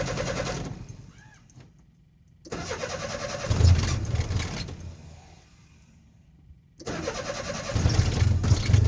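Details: Nissan 720: starter grinds the engine over for a couple of seconds at a time, several long cranks with pauses, slow to catch; hard starting, prolonged cranking.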